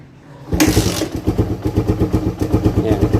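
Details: Suzuki Raider 150 carb motorcycle with a hard-starting problem: a sharp burst, then uneven lumpy pulses under a second apart as the single cylinder struggles to catch and run.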